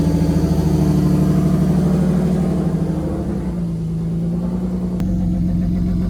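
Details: 1994 BMW 525 E34 Touring, revived after sitting 10 years, just converted to a 5-speed ZF manual: steady, even idle with a small speed dip then settling smooth, no knocks or misses; normal idle.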